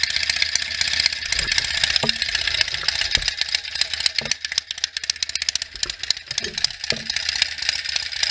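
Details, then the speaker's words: 1967 BSA A65 Hornet 650 parallel twin, freshly rebuilt (new pistons, rings, valves, electronic ignition) after 43 years sitting, stone cold start on a warm day, still burning off assembly lube: easy starter, fairly even idle, no knocking; runs great. "it's uh you know everything's uh stone cold it's been sitting and it's a easy starter it sounds like it runs great"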